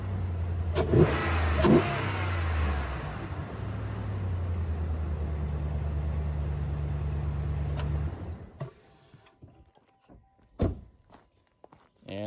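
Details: 4th-gen Ram 1500 5.7 HEMI V8 after K&N cold air intake (63-1561) install: two sharp throttle blips bring a deep loud intake whoosh over a steady idle; healthy engine, induction noise through the open intake.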